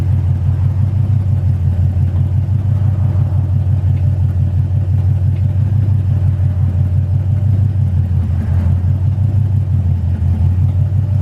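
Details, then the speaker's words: Foxbody Mustang at startup idle: deep, lumpy V8 rumble with a rough, chuffing edge under it, a nasty-sounding exhaust leak the owner plans to fix. "as you can tell you can probably hear that exhaust leak it sounds really nasty"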